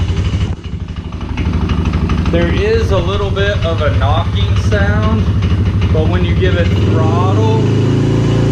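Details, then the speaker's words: Polaris 90cc four-wheeler, cold start after sitting a while, needs oil change, not smoking: single-cylinder idle with light, fairly even tapping about three per second over the exhaust, which goes away; owner unsure if normal or bad piston rings. "so i'm not sure if that's normal or if that is you know like i said some piston rings might be bad"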